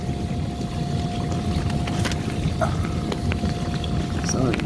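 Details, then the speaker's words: KitchenAid KDFE304DBL0 dishwasher running a wash cycle after its diverter motor was replaced to cure a leak underneath: steady water spray and swish, faint constant tone, no knocking or grinding. Camera is on the new motor, no leak seen, normal. "all right clearly you can hear the dishwasher running and got the camera focused on the inverter motor i'm not seeing anything thankfully"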